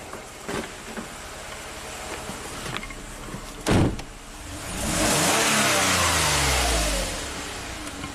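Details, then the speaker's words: 2007 Toyota RAV4 V6 at 427k miles, setting P0171 bank 1 lean (long-term trim 35% vs 7% on bank 2) and losing power under medium load. Plugs, coils and MAF already replaced. Uneven idle, then a lazy, hanging rev climb under light load despite 45 psi fuel pressure; sluggish throttle response. "you can hear the engine is not responding very quickly even though our fuel pressure seems to be fine 45 PSI"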